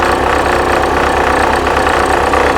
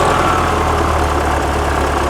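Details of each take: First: 1979 VW Super Beetle, fuel-injected, idling: loud rough continuous throb from belt end; generator vibrates and is very hot, belt overtight, pulley spun on its keyway, worn generator pulley. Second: 1979 fuel-injected VW Super Beetle, air-cooled flat-four, warm idle after a no-start fix, before timing-light check: steady, even low burble with no misses or knocks; running smoothly.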